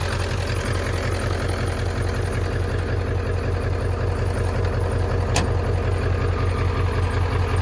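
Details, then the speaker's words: 1995 Ford F350 Power Stroke 7.3 diesel idling; modules loosened and refitted after water got in and it died: steady even diesel clatter, no misses or stumbles; normal idle, running again. "It had some water in it, that's why. But as you can hear, it's running again."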